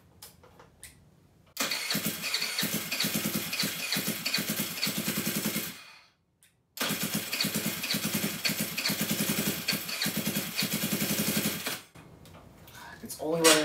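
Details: GY6 139QMB Honda Ruckus clone freshly rebuilt with a 100cc big bore kit: it fires and runs twice with sharp, rapid, raw popping. Loud but steady and running fine; an exhaust issue still has to be sorted out.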